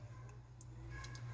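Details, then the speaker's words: Electrolux TF55 refrigerator: light irregular ticks over low hum as freezer fan blades clip built-up ice; fan itself fine, fix by defrosting. "Dá gelo, olha o gelo aqui, ó. Aí acaba batendo aqui, tá vendo? Aí fica fazendo aquele barulhinho, tá vendo?"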